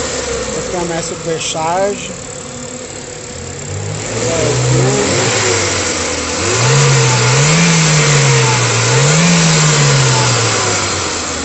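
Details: Ford Fiesta supercharged petrol engine after the timing chain repair, with new cover gasket: it revs up and settles in smooth, even blips with no chain rattle or slap underneath; timing sounds healthy.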